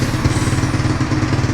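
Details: XR140 pit bike with swapped-in 125cc manual-clutch 4-speed engine, warming up at idle: even single-cylinder thump, quick regular pulse, quiet exhaust, no ticks or clatter; healthy.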